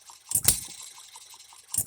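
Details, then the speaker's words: Economy hit-and-miss engine after a new piston and new rings: sharp firing bursts about one and a half seconds apart with quiet coasting between, running evenly but slightly faster than wanted; normal hit-and-miss running. "here we go it's a running engine now it it is his it is hitting and missing it sounds good it's fairly even a little bit faster than we need it to run"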